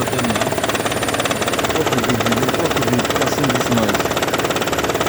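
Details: 2012 Toyota Prius petrol engine running with a heavy, rhythmic rattle, about three to four clatters a second, sometimes steady for long periods and intermittently stopping; cause unknown to the owner.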